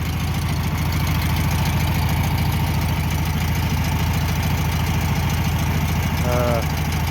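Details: 1962 VW Bus air-cooled engine after power loss on a trip: even loping idle with steady low beat, no misses or knocks.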